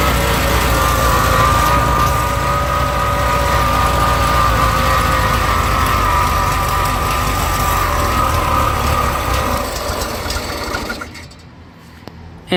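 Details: 1971 VW Bus Deluxe with rebuilt carb, running rich, choke on top notch, noisy generator: uneven lumpy idle with a mid-pitched whirr, then the engine sags and dies. Owner suspects the carb is not dialed in.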